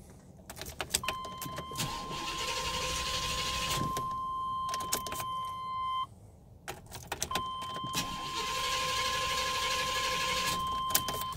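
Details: Car cranks but won't start with a good battery: starter cranks steadily in bursts with a door chime ringing and the engine never fires; fuel-related causes suspected, not confirmed.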